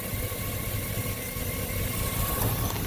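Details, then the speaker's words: 2000 Chevy Suburban/pickup 5.3 V8 (P0304/P0303) idling with an uneven, stumbling beat and irregular thumps. Leaking fuel pressure regulator sucks raw fuel into the intake, misfiring two cylinders again once the vacuum line is reconnected. "plug this back on where it's sucking raw fuel into your intake manifold give it a second to start sucking fuel down into the intake manifold and distribute it evenly amongst those two cylinders and you will see these things start to misfire again"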